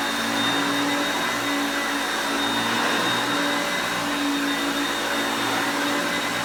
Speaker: so the one thing I noticed is that when you put it on the drive for the self-propelled you will hear the motor pitch change as the gears change to me moving it back and forth as you can see there but it's still picking up really well